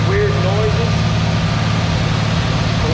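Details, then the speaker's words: IH 140 tractor just started after sitting seven months, with new radiator, hoses, belt and water pump; steady low even idle with no knocks or rattles, transmission quieter than before; running smoothly and healthy. "so everything is running sounds good i don't hear any weird"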